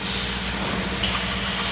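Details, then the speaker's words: Bottoms Up beer dispenser pouring normally during short-pour troubleshooting: a steady, even hiss of flow with a faint low hum and no sputtering. Good flow with flickering lights, so program the size and move on. "are flickering and you have beer coming out you're in good shape program the size and then move on"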